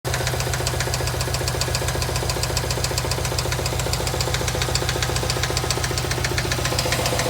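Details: 2008 Subaru STI engine at idle with a sharp, regular knock tapping through it, about four times a second.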